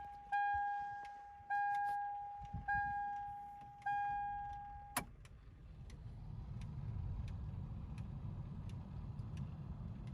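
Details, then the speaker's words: Aftermarket VDO blower motor (made 08/2013) replacing the original 20+-year-old factory Denso unit in a Toyota Tacoma: steady soft air rush with a faint low hum, much quieter than the old one; normal blower operation. "it's got a little bit of hum but it's a lot better than the one that came in it when i bought the truck so pretty pleased with that"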